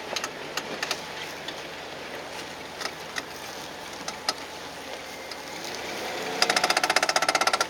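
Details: 2010 Jeep Wrangler JKU driving in four-wheel drive: a fast, sharp clicking, about eleven a second, from under the vehicle over road and engine noise, fixed by replacing the front driveshaft.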